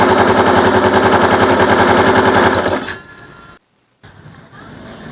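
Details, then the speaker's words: Bonus Sport SR small motorcycle, stored about a year, carburetor overflowing: loud, harsh rapid clattering grind like a grinder while running, caused by the magneto rotor rubbing inside its cover; fixed by fitting a used replacement magneto. "kumakaskas yung Magneto dito sa ano makaskas dito kaya para siyang may kumakayod"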